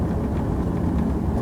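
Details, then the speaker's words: 2001 Jaguar X-Type after left rear shock absorber change, driving a lumpy lane: steady road rumble with no clunks or bangs from the rear; earlier banging gone, though right side still noisy and not yet replaced. "it's very lumpy and it gives a good approximation so every terrain being about a mile and I'm just not getting that banging noise anymore that is so pleasing"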